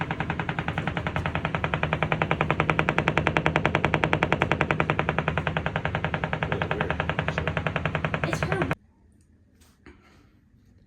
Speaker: it's in the wall we're not smashing the wall but it's in the wall